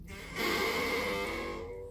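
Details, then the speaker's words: Curtain squeaking loudly when opened and closed: a single drawn-out squeal of about a second and a half at steady pitch as it slides, from dry rings rubbing on the rod, before lubrication. "Вот занавеска, когда ее открываешь-закрываешь, она сильно скрипит."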